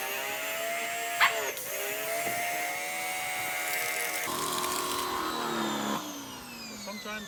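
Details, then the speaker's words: Simoniz 2100 pressure washer rinsing soap off a car with the sprayer: whining motor tone sags and wavers in pitch, then drops off; motor labouring, struggling to keep up. "the water, you can hear it's struggling to keep up."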